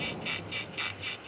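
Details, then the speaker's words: VW Golf Mk7 1.4 TSI rocked with microphones on stabilizer bar and control arms: dry, high creak about three times a second from the left control arm (bandeja) bushing; shock absorber on that side also weak. "mas o barulho que ele tá aqui tá incomodando esse esse rangido é justamente esse aqui que a gente mostrou que tá no braço oscilante ou bandeja que o pessoal chama do lado e esquerdo"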